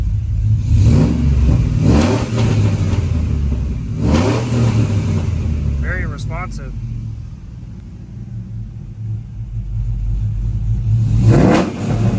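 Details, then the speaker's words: Chevy Silverado 1500 5.3L V8 (2004/2005, 4L60) with Texas Speed Chopacabra cam, Speed Engineering long tubes and 3-inch single exhaust, warm (coolant 181, closed loop): three throttle blips dropping cleanly back to lumpy steady idle; timing swinging, idle correction untuned; normal rev and return. "comes down to idle really nice. I say we're doing pretty good."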